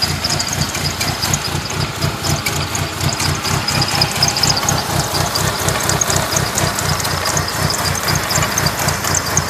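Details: 1997 Mitsubishi Eclipse RS idling: uneven, lumpy beat of about two pulses a second with a hissy top end. Owner notes overheating when stationary but fine when driving; rough idle, cause unclear.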